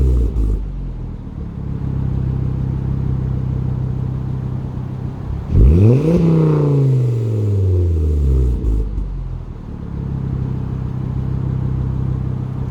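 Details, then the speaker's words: 2011 Volvo C30 T5 R-Design with aftermarket sports exhaust and 3-inch downpipe, recorded driving: steady low drone, then rising and falling buzzy sweep; rear muffler buzzes on deceleration from about 2,500 rpm. "My exhaust muffler, the muffler in the back has been buzzing. Okay, it's been driving me nuts."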